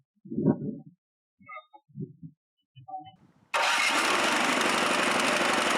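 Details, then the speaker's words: Chinese walk-behind track dumper bought broken at auction, untouched apart from checking oil and gas. Its small engine catches after about two short cranks and settles into a steady, even idle with no stumble: normal start. "Well, I certainly wasn't expecting that. No kidding, guys. I never touched this thing. That's all. That was maybe two little cranks in the way it went."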